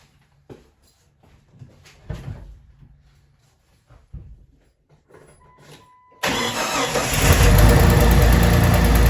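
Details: 2000 Jeep Cherokee Sport XJ first start after a new head gasket, thermostat and housing, and valve cover and manifold gaskets (old gasket failed, overheating): engine catches and settles into a loud, slightly uneven idle; running a little rough.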